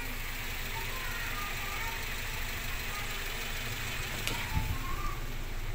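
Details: Toyota Avanza after replacing failing, loudly whining fuel pump: steady even idle about 700 rpm, new pump barely audible, normal.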